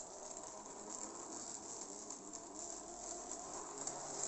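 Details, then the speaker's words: Jouef HO 030T Boer 0-6-0 tank locomotive, bearings lubricated and drive gear correct, running about 30–50% controller speed: thin fizzy high-pitched buzz and rattle; just a noisy motor with some cogging. "the motor bearings have been lubricated but this is just a noisy locomotive"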